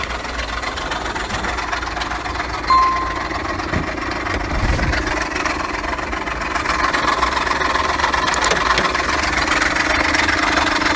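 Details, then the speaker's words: Engine idling with the hood open: an uneven light knocking over the engine sound, traced to the ribbed drive-belt pulley and idler pulley; replacing both stopped the noise. "parece que tem alguma coisa batendo"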